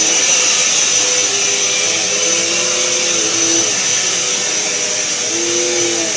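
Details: Eureka Power Plus upright vacuum after freeing a hair-seized brush roll bearing and unclogging the hose: steady high-pitched motor whir with even airflow rush, no grinding or labouring; runs smoothly.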